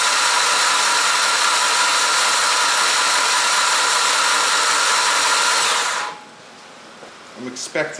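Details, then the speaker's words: Rebuilt 600bhp Mitsubishi Evo X engine at first start, cranked with the rocker cover off to prime oil: about six seconds of steady, even starter spin with no firing. Normal cranking during oil priming. "so the reason for me cranking it over without the rock cover on i just want to wait until i can see oil coming out of there and then i'm going to crank it over for say 20 seconds without the injectors plugged in"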